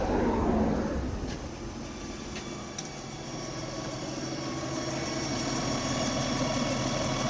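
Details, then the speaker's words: 1997 Lexus ES 300 with hard start and idle issues, after repair: starts on a raised idle then drops smoothly to an even, quiet idle, no misses or knocks; normal idle. "actually has a little bit of an idle before just idle one speed it didn't start up and idle down it just stay at one speed the whole time"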